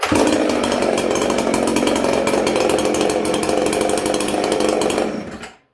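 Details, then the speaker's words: 1983 Husqvarna 266SE two-stroke chainsaw, fully rebuilt and ported, after clutch replacement; starts and holds a steady busy buzz about five seconds with no clutch rattle at idle, then shuts off; normal running. "Now I'm going to say already, I don't hear that clutch rattling. Do you guys?"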